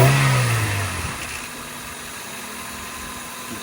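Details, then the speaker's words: Honda Civic with a newly fitted intake: engine falls from a rev to a steady idle with a clear airy suck from the intake; healthy breathing. "can definitely hear it sucking. Alright, there we go. Oh, that works nice. She's breathing in all the air."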